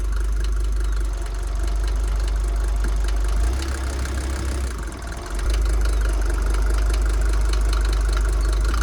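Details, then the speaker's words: Mercedes T1 van, OM602.940 diesel just rebuilt with reworked head, first start in neutral after glow plugs: steady idle with a sharp repeating rattle that persists after rebuild; points to a noisy injector. "still got the rattle I knew it would would still be there everyone was like no it will be fixed"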